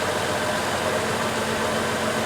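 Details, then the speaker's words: 2004 Chevrolet Trailblazer engine idling steady and even with a smooth hum, no stumble or miss, after a misfire and rocking engine traced to a wet spark plug and fixed by replacing the ignition coil. "all right let's see what happens here we go that's the engine I know and love"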